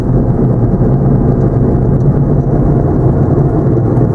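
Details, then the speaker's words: 2008 Chevy Impala, about 150,000 miles, with ABS and traction lights on: steady low droning growl under road noise while cruising, no knocking rhythm; worn left front wheel hub bearing. "Yeah, sounds like the left front wheel hub is acting up. Listen how noisy that is. Yeah, it sounds like it's coming from the left front."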